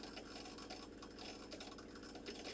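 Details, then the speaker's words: Factory Jayco caravan water pump running with the tap half open: a surging, jackhammer-like chattering buzz with uneven flow and heavy vibration. It is being replaced with a Seaflow 42 series pump and an accumulator tank. "it's not a very nice sort of smooth sort of flow and you can probably hear that pump in the background making quite a bit of a racket"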